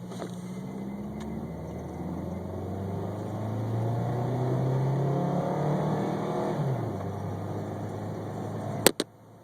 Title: Misfiring '98 Camry